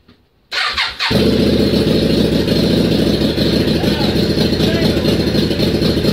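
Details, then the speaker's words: Yamaha Virago XV535 V-twin, unstarted a few months, charged battery, cold start with some choke: starter whirs, then catches into a fast, steady choked idle; clean start, though it later ran out of fuel. "So here we go. There's fuel pump. Give it a bit of choke."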